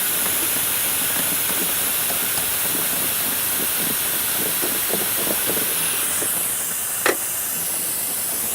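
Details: Astral 420 cartridge pool filter bleeding down before cleaning: steady loud hiss of escaping air with a faint clink near the end; normal air bleed-down hiss.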